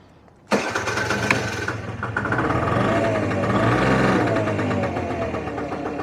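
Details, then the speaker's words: 1983 Honda Stream (Gyro NV50) two-stroke scooter, cold start on choke after earlier flooding: sharp catch on first try, then a steady buzzy idle that holds even without stumbling; starts normally. "You see, choke's coming straight on, so that's okay, good."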